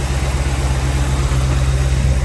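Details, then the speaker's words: Crown Vic V8 swapped into a C20 frame, just started after a sticking starter solenoid, cold with thermostat still shut: steady, even idle with a deep, smooth exhaust burble and no misses or knocks; sounds healthy. "Exhaust sounds pretty good as well."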